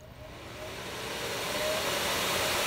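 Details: Air Venturi 4,500 psi high-pressure compressor, water-cooled with distilled water, first setup run: steady airy rushing hum slowly builds then holds even, no knocks or rattles; running normally.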